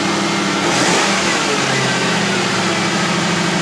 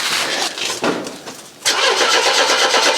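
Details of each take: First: Crown Vic V8 started on a 9.9-volt battery: deep even burble swells cleanly with a throttle blip and settles smoothly; engine sounds healthy. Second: Mercedes W123, long parked, in neutral, with a little petrol recently added. It cranks over easily in steady bursts but never fires. The owner suspects fuel starvation, with the petrol drained to the back of the tank.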